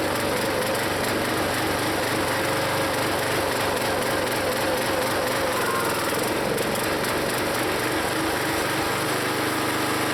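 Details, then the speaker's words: Log splitter small engine, always rough-running, owner plans Seafoam: irregular loping beat that sags and bogs when the splitter piston is pulled back to a certain point; cause unknown to owner. "I don't get why I think you hear the engine bog when I pull that piston back to that point so that I don't get why that does that"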